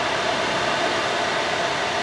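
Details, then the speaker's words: New 402 CFM 6-inch inline exhaust fan for a GPU mining grow tent, test-run at max before ducting; steady loud air rush over a faint even hum, no rattle, wobble or scraping: running smoothly. "i'm sure you guys can hear it yeah that's gonna work way better"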